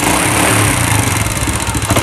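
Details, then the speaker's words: Old Honda Legenda motorcycle (farmer's bike) idling with loud clattery top-end noise from cylinder block and cylinder head, rattly uneven beat; engine also smoking heavily, misfiring and hard starting, spark plug fouling quickly. "oke Bisa diperhatikan karena Suaranya berisik sekali di bagian blok silinder maupun di silinder head ya teman-teman"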